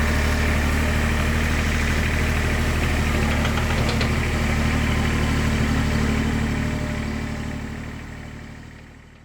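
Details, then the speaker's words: IHI 28J mini excavator, Isuzu 3LB1 diesel, after replacing injector pump O-rings leaking diesel into crankcase and bleeding the injector line: engine picks up, steady even idle with all cylinders working. Normal idle, successful fix. "You hear the engine pick up. And that cylinder is working. So, that is a successful fix."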